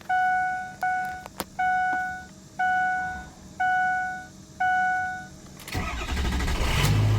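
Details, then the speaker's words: 2004 Ford F350 6.0L Power Stroke diesel after a Sinister Diesel adjustable fuel block (blue spring) upgrade; a leaking coolant line may add noise. The key is cycled three times while injectors prime (chimes), then a short crank and it fires right up to an even idle. Normal start. "Fired right up. Definitely started it back up just to record that noise."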